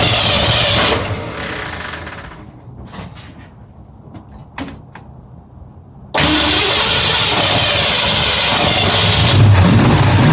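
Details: 1965 Mustang on a test Holley carburettor: catches, sags almost to a stall, then surges back rough and lumpy, running on only about four cylinders; owner suspects fuel starvation from a bad carb (maybe not fuelling both sides), not confirmed.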